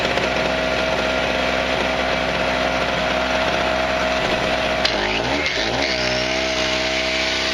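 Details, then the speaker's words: Harbor Freight 63cc two-stroke recoil-start generator (900 peak/700 running watts), choke set: high, buzzy chainsaw-like note holds steady, dips briefly under grinder load and recovers cleanly; normal running. "let her rip I guess see if this can start up it sounds like a [Applause] chainsaw I don't know if you can hear me but Donovan sounds it sounds exactly like a chainsaw"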